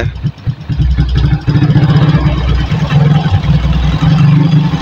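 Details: Suzuki Shogun 110 motorcycle after stator rewind fixing lost ignition and charging, idling while charging current is checked and found normal, rectifier OK: steady, even low single-cylinder putter, no misses or knocks; normal, healthy idle.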